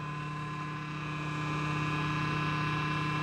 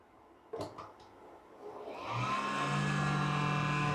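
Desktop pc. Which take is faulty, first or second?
second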